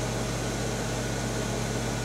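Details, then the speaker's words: 1975 Amana Radarange RR-6W microwave stepping down to 80 watts power: soft, even low hum under the fan rush, a very quiet magnetron running normally. "now we're not running the the magnetrons now we're down to 80 watts again very quiet magnetron you can just barely hear it start up"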